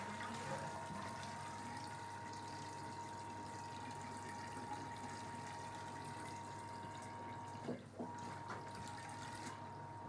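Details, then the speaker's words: Fisher & Paykel Smart Drive washer, spin drain: steady pump hum with rushing water cuts out half a second, then restarts; normal drain pump pulsing meant to clear fluff caught around the pump impeller. "the little pulsing of the drain pump you see here is actually totally normal what it is is that they found that they sometimes have problems with fluff catching around the pump impeller"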